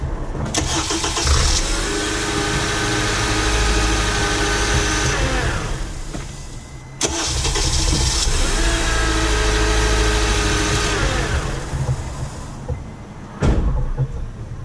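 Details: 2009 Honda Accord after starter replacement, which involved removing the intake: the starter spins briefly, then the engine catches at once and settles into a steady, even idle. A clean, healthy start.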